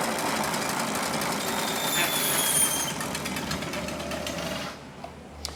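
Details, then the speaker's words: Trek Rail e-bike rear wheel spun in stand: rough, gritty rumble with a fast rattle beneath, from worn bearings in a loose freehub body (Bontrager/Shimano); fix is replacing the freehub body. "so that's that other sound that you can hear uh is basically rumbling of the bearings in the hub you can actually hear it it sounds absolutely dreadful"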